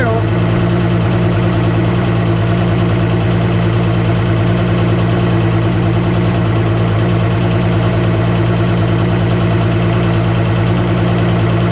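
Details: 2013 Mercury 250 Pro XS Optimax outboard idling after replacing the old steel reed valves with Chris Carson carbon fiber reeds: loud, steady low drone at an even pace, no stumbling or surging; the earlier slight noise seems gone, idle normal.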